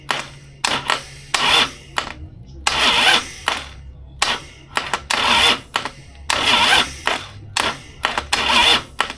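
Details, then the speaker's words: Rewired 2002 Harley Sportster chopper with custom key switch, first crank attempt: short repeated starter bursts, each dying after about one revolution and never catching; engine will not turn over, owner worried about the clutch install, cause not confirmed. "Um, this thing just would not turn over. It would do maybe one revolution at a time and then it would just uh quit."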